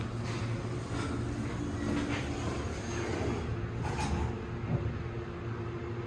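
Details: New MEI elevator at a retail store, recorded December 2021 from inside the cab: steady deep droning hum with faint constant tone, much louder than months earlier when installed; cause unclear; loud elevator motor.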